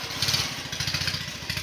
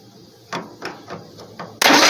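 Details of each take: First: Bolens QT17 garden tractor, engine previously stuck from years of sitting, cylinders soaked in diesel, jumped at the starter since the key won't crank: quick even chuffing crank, about a dozen pulses a second, no drag or binding; engine cranks freely (later found no spark). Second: Bolens QT17 tractor engine, previously stuck and soaked with diesel, cranked with a jumper tool: starter churns steadily, about three to four compressions a second, never fires; no spark confirmed with a known-good plug.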